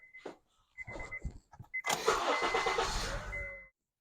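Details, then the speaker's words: 2012 Honda Accord K24 4-cylinder after noisy power steering pump replacement: clicks, crank, then quiet even running with no groan or whine from the pump; power steering working normally. "man much quieter much quieter everything working so far the power steering Works"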